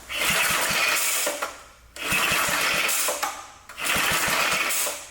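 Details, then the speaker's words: Restored vintage Blue Grass mower, newly rebuilt engine with new throttle control, first start: three rope pulls spin it with quick chuffs but it never catches because the throttle was not set to fast. "It's not starting. Would help if I put it on fast."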